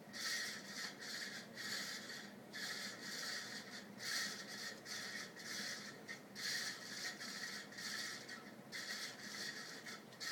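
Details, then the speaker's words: 52-inch second-generation Fasco Charleston ceiling fan with stack motor, running on high. A quiet hissing scrape swells and fades about every 2.5 seconds. Owner is unsure of the cause, suspecting the bearings or the capacitor. "i don't know if that's the bearings or what or the capacitor i can't really pinpoint it"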